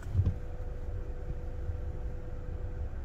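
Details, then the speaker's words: Chery Tiggo 7 Pro, 1.5 turbo, CVT, about 9000 km: faint steady mid-pitched hum like a long phone tone for over two seconds in the cabin when releasing the brake pedal; owner suspects brake vacuum booster drawing air. Hum on brake pedal release. "такой гул как будто бы гудок В телефоне когда звонишь длинный гудок"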